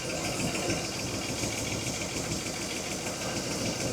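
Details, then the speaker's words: 1961 Buick LeSabre convertible with Nailhead V8, first start after sitting, with a gas leak: steady healthy idle with a light, quick valve tick riding on top. "Well, there you have it. It's uh actually running now. Sounds pretty good. Tiny bit of a valve tick."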